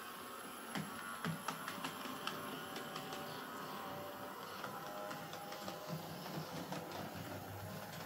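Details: Hornby J15 model locomotive, bought new a couple of years ago, slow and noisy since new; first run before repair: thin whirring whine over scattered clicks and knocks; noisy motor.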